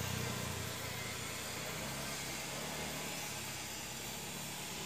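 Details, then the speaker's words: Honda Beat eSP scooter CVT after replacing worn-out clutch shoes that had caused clunking at takeoff: even, steady engine note pulling away with no clunk or rattle; clutch engages cleanly. "Dan ini kita tes lagi setelah kita melakukan pergantian kampas ganda yang telah habis kita tes lagi kasih"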